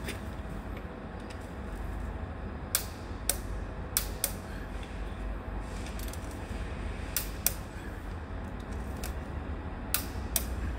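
Sharp starter clicks, often in pairs, with no cranking at all: the seized engine will not turn.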